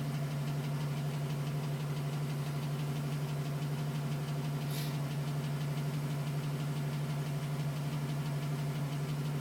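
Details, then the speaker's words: 2010 GMC Sierra V8, 2,000 miles, cold start: regular light tapping about three per second over idle, suspected piston slap, persisting at 4 minutes and stopping at 5:42 once warmed up. "Still tapping at 4 minutes. Tapping finally stopped at 5 minutes and 42 seconds. And that's how it should sound. As temperature reaches there, it stops."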